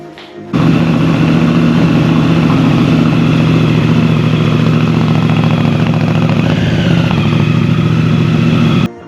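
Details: 2018 Honda Africa Twin at 44,000 km, first start after maintenance (spark plugs, air filters, brakes, coolant) and major reassembly: catches and settles into steady, even, smooth idle with no knocks or rattles; runs healthy.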